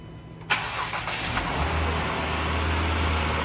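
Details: 2011 Dodge Durango 3.6 Pentastar, driven while overheating after its oil cooler/filter housing ruptured: cranks and catches quickly into an even idle, no misfire or knock, oil not milky; blown head gasket shown only by block test turning yellow.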